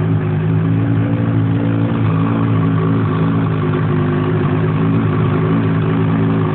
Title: 800 etec piston slap? Engine cold